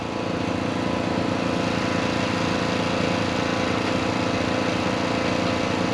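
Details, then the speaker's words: International 1086 diesel tractor after injection pump work, pump re-primed through the lift pump, batteries weak. Steady cranking that nearly fires, then loses the smoke and never runs. Cranks but won't start; owner unsure if the injection pump is faulty internally or still has air. "it's almost like it's losing prime it starts there turning over and almost fires up and then kind of lose the smoke so i don't know if that's internal on the pump or if i still just got too much air in it"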